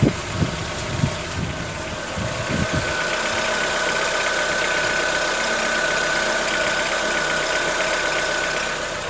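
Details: 2014-15 Chevrolet Onix 1.4 on gasoline, cold start: fast steady light mechanical ticking two to three per second at idle; owner suspects lifter tapping inside engine, not injectors, present since new, lasting about 10 minutes and worsening yearly; dealer calls it normal.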